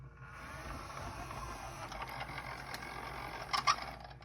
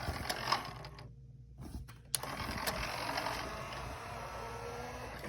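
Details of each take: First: Denon DCM-380 CD changer, tray won't open, Error 2: a whirring gear train with uneven ratcheting clicks and sharp clacks as the drawer hesitates after repeated open presses. The single drawer belt looks worn and laggy. Hesitating CD tray. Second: Denon DCM-380 CD changer after repair of a tray that would not open (Error 2): quick, light gear whirring and ratchet clicks in short bursts as the tray mechanism cycles; mechanism moves freely and normally.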